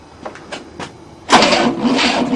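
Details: 1967 Cadillac unstarted for 30 years, cranking with a new starter motor: a few light clicks, then a loud steady cranking whir that never fires; cranks but no start, timing later retarded.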